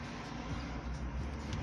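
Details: 2008 Ford Escape with manual climate control, blower fan working after repairing a bent relay pin with new terminals and a new relay: steady, even low whoosh with no ticking, squeal or rattle.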